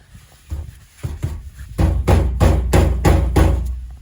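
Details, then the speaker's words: Subaru Sambar kei truck that won't start after winter, fuel tank struck by hand: dull hollow thumps about three a second, sounding nearly empty though the gauge reads almost half; owner suspects it is out of fuel. "that sounds pretty empty to me"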